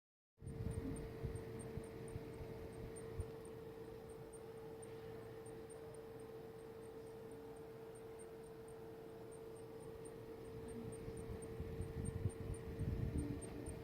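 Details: Computer making a thin high chirp about four times a second over a steady mid-pitch whine; dusting everything and spraying the cooling fans did not change it; intermittent electronic chirp, source unclear.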